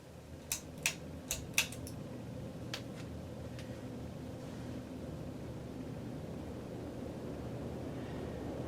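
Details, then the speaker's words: 1984 Hunter Original 2.5 A ceiling fan, cleaned and oil-checked, 3-speed converted to 4 with an added capacitor, on high: a few light clicks, then a soft even airy hum with no grinding; runs normally, slightly wobbly, may need new isolation-ring grommets. "and it performs like you would expect an original to perform"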